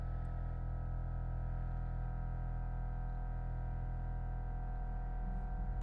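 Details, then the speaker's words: 1998 Lincoln Continental 4.6 L DOHC V8, 29°F in snow and ice, before cold start: air suspension compressor raising the car with steady low electric hum and even whirr, no knocks or rattles; running normally. "It is currently 29°. You can hear the air suspension raising."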